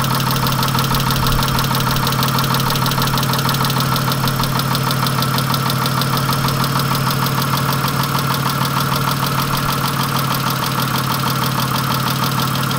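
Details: 1997 Chrysler Sebring at idle: a rough, diesel-like clatter with a steady, rapid knock throughout. Engine knock, cause undetermined.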